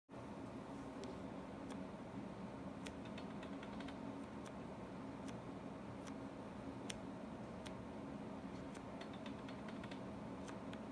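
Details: Tamron 24-70 G2 lens on Canon 6D/6D Mark II in video mode: irregular sharp clicking when changing aperture from f/3.2 to f/2.8; occurs on two copies of the lens.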